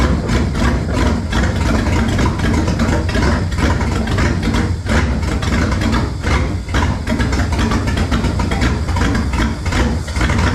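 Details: V8 after swapping to a 2-barrel carburetor, hole patched and taped, choke nearly open while warming: lumpy, uneven idle with irregular chuffs and pulses. Steadier than before but mixture still sounds off; slight smoke noted.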